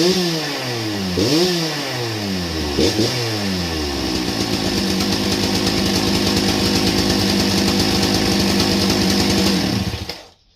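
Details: Old Husqvarna 268 chainsaw, first start with chain very loose: revs rise and fall, then hold high with constant metallic clatter; broken chain brake band lying against the clutch.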